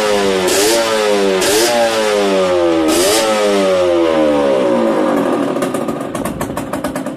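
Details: Yamaha DTR 125 two-stroke, first start after fitting unrestricted Gilera SC CDI, new seals, 240 main jet, powervalve fully open, Big One exhaust; sharp blips climb and drop about three times, then crisp even ringing idle: normal revving.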